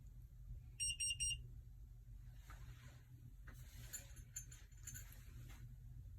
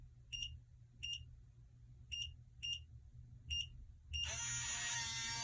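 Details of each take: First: Kwikset 888 smart lock, programming new 4–9 digit code with face cover removed: three quick high beeps signal programming failure, must repeat; a long beep means success. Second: Kwikset 888 smart lock after programming new 6-digit code: six short even keypad beeps then brief motor whir as bolt retracts, unlocking normally.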